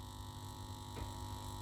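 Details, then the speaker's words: 1967 WEM Dominator MK2 valve amp during a service, on a Variac above 200 volts: an intermittent, steady low metallic buzzing hum from the power transformer. Loose laminations are suspected, and the plan is to tighten the transformer bolts. "Now that humming has appeared again, as you can hear, that metallic humming, as I've got the voltage up past 200 volts. So what is causing that? That's the power transformer,"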